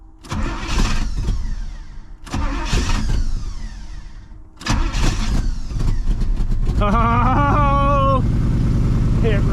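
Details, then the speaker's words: 1985 Pontiac Trans Am sat about a year, fuel pump seems not to build pressure: three rough cranking bursts, last catches, stumbles with wavering note and struggles to keep running; owner suspects it may be out of fuel. "is oh it wants to run I I really got a question if it's out of fuel"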